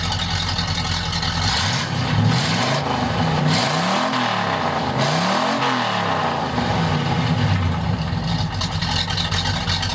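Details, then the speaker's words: 1951 Chevrolet 3100 pickup with a 5.7 small-block V8, Edelbrock carb, automatic, straight pipes with cherry bombs: several free revs while parked, deep lumpy V8 rising and falling cleanly through loud open exhaust, no knocks; healthy. "Sounds absolutely amazing. So we give it a rev. I think we've got it, won't we? Annoy the neighbours."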